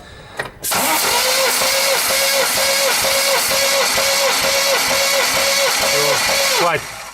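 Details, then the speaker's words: New 1.8 L naturally aspirated engine on an 11 block, crank machined and new bearings, with a suspected crank knock; steady cranking with even compression pulses about twice a second, weak battery; all cylinders read 12, compression healthy. "Ну вот как видите всех ровно по 12 то есть поршневая всё тут держит нормально"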